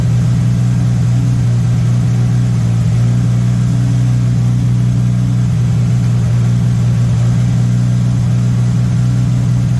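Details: MK1 VW Rabbit with Weber 32/36 carburetor, no choke hooked up: steady, even idle well above normal, around 2000 rpm, no dips or hunting; idle screw set too high, owner suspects an audible vacuum leak, later set to about 1100-1200 rpm.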